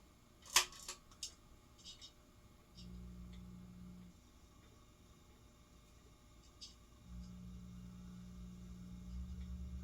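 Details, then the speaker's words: Razzetti porcelain-housing Italian 46" ceiling fan, after reassembly: low steady hum after switch clicks instead of quiet solid-state running; owner suspects wiring reversed so motor gets DC, otherwise performs fine. "It's not silent, so I wonder, it's possible that when I put it back together again that I wired it backwards, because it doesn't sound like normal solid state noise. It sounds like the motor is getting DC, but it's otherwise performing fine."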